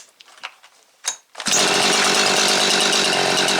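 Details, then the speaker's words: Jonsered 2156 chainsaw after Walbro HDA 199 carb rebuild (new pumper element, metering diaphragm), previously slow to settle off idle: a few pulls, catches, revs out and returns straight to a clean, steady idle; running right. "You can see revs out and regulates and comes back down to an idle right away like it should, not acting all funky like it was there before."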